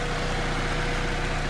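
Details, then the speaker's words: 2007 Saab 9-3 Convertible idling steady and even, no knocks, ticks or misses; car had been sitting outside, coolant good, oil not bad, power steering cap missing; runs really nice and smooth, normal idle. "all in all as you guys can tell it is running really nice and smooth and that's that we'll take it around the block"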